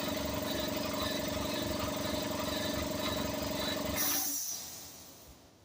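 Whirring hum with a rhythmic pulse about four times a second that cuts off suddenly; the compressor sounds abnormal, cause unclear.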